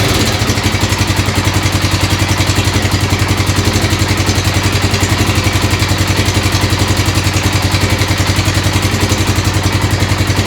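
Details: 1996 XR600R single, first cold start on full choke, steady idle at about 220 beats a minute with a light regular clatter on top. The owner suspects the right front valve needs adjustment.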